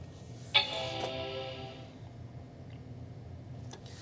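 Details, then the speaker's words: Macintosh PowerBook 165 first boot after being added to a collection: a single clear startup chime at power-on, then faint hard drive whir as it boots; normal startup chime. The screen later shows bars and an apparently faulty contrast switch. "a chime, that's a good sign. You can hear the hard drive booting up."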